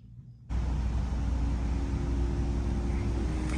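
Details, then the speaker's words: Trane XV95 propane furnace started in cooling mode after replacing the transformer that failed in a power surge; burner catches with a soft thump, then a steady, even low roar with no rattles; system up and running. "problem solved system is up and running"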